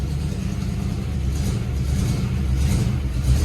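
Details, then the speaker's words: 1961 Corvette or 1957 Chevy V8, sat for decades, first start on fresh gas: deep steady rumble at even idle, no knocks or misses, no oil leaks seen; normal idle. "Oh. Sounds good. I don't see any oil leaks."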